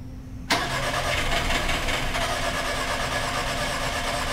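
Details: 2006 VW Passat, interference engine, cranking with cam sensor ground jumped for scope testing: steady, even starter rhythm with no firing; the timing belt has jumped teeth and must be refitted, and compression is still unverified; no-start cranking.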